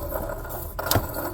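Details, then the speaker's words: 2008 Chevy Silverado LT 5.3L with the belt removed via the 15mm tensioner: the water pump pulley spun by hand spins too freely, giving a loose, gritty rattle and a sharp clack as it coasts. The pump bearings are completely shot; the other pulleys are fine. "Now listen to the pump. It's not even supposed to spin like freely like that. Listen to that. The bearings in there are completely shot."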